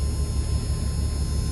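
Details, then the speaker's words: Land Rover P38 Range Rover (diesel), engine running about an hour after weeks parked, stereo on: steady low drone with high-pitched whistles through the speakers. Noise stops when the stereo or faceplate is off and moved from front to rear speakers; interference source unknown. "you can probably hear that horrible noise I've turned the stereo on I've got some kind of interference noise I don't know why"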